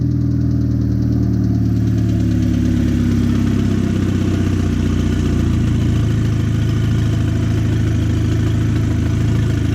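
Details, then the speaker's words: Audi A4 fully rebuilt 2.0T FSI engine with JHM K04-R turbo kit, first startup, not yet warm, oil residue burning off: smooth even idle, low hum, faint injector tapping, no squeals or knocks; normal idle. "I mean, I hear the injectors tapping a little bit. It sounds pretty quiet, not too bad. Everything's running pretty good. No squeals, no nothing."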